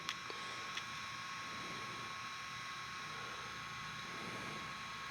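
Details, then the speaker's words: OQO Model 2 ultra-compact PC (2007, not the SSD version) running Notepad. Its spinning hard drive makes a constant soft whir with a thin high whine. The weak CPU is always working hard, so the machine is noisy. "you guys might hear how noisy this computer is um cuz it has a rotating hard drive and uh the CPU isn't very powerful. It's pretty much always working hard."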